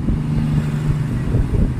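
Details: Euro motorcycle with hard starting: uneven, rattly idle knock resembling a connecting rod, actually caused by a loose magneto rotor.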